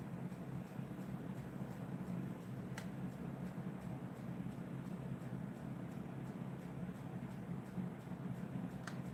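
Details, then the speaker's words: DIY magnetic pulse motor spinning at about 500–504 rpm, measured with a meter. It gives a low, steady hum with an even pulsing whir and no knocks or scraping; it is running smoothly and normally. "it feels good to me man it's nice and safe it's doing what it's supposed to do"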